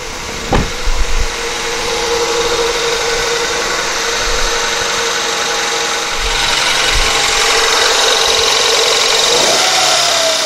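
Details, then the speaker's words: 1999 Honda Accord, replacement F23A engine, cold start after sitting overnight: catches and settles into a steady, even idle with a faint hiss. This is after refitting the timing belt that was a tooth off and clearing the plugged MAP vacuum port; no check engine light. "alright I'm pretty happy with that no check engine light actually drove yesterday and it seems to drive fine"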